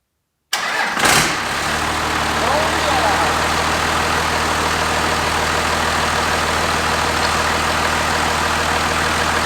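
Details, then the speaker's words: 1993 Dodge 5.9 Cummins diesel swapped into 1967 Ford F-250, first start after two to three years unrun, fuel primed and injector lines refitted: cranks briefly, catches at once, settles to steady even clatter at idle; healthy. "there it is guys first first man that thing hasn't run for two to three years"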